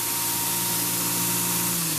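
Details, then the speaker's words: New belt grinder switched off with slow-down ramp set to 2 seconds; the high whine and belt rush fall away smoothly within about two seconds with no rattle or scrape, stopping quickly for belt changes. "1,000, 2,000, stop. It stops nice and quickly for a belt change."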